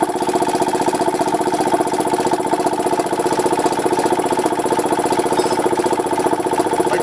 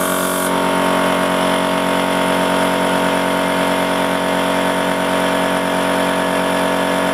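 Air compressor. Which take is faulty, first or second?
first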